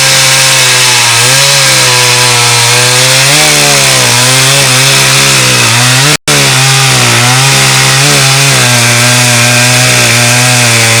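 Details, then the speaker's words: Stihl 084 AV chainsaw, about 35 years old, slabbing an Australian red gum: strong steady howl through the cut, dipping only slightly under load and recovering cleanly; normal cutting with no effort. "Well, that was actually no effort for the big old 084. Cut through that easy peasy."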